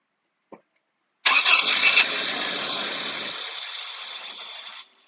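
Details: 2001 Toyota Tacoma 2.7L, about 345,000 miles, that stalled while driving: a brief crank catches, runs roughly for about three seconds, then fades and dies. It fires but won't keep running; possibly running on residual fuel. Cause unconfirmed.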